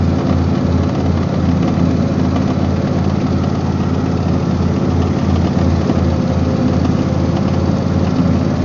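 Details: Husqvarna YTH24V48 48-inch riding mower running steadily; loose, uneven rattle pulsing about three times a second despite greasing all grease points; owner suspects a failing bearing.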